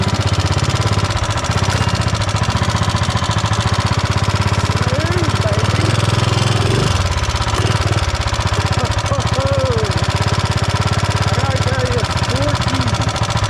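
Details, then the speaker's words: Mega Moto minibike with a swapped-in 420cc engine, recorded on a GoPro while riding: a hard, steady small single thump with a dull knock under the firing beat; a nasty knock believed to be in the block, not confirmed. "so I don't know if you could hear it in the GoPro but this thing has a nasty knock and it sounds like it's in the block"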